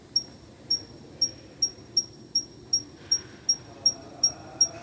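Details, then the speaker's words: Jeep Compass rear wheel with electric brake caliper: sharp cricket-like chirps about three per second as the pad retaining clip is moved. The dry clip needs a spray of grease; brake pad retaining clip chirp. "na roda tipo uma nick nick nick nick nick um grelinho que que é essa chapinha aqui ó"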